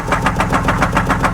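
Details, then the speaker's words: 2004 Buick Park Avenue Ultra supercharged, service engine light on, mufflers missing, already known to knock: rough, lumpy idle pulsing about eight times a second with a stumbling beat, a definite misfire; noise seems to come from the bottom near the harmonic balancer. "maybe not quiet but it's definitely got a misfire you can see it miss ironing it here"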